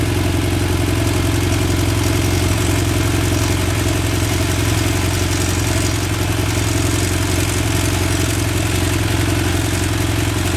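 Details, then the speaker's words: BMW F800 twin idling with a fast, even metallic rattle over the exhaust beat: slack cam chain from a deflated or incorrectly set cam chain tensioner. "okay so this is what a deflated cam chain tensioner will normally sound like"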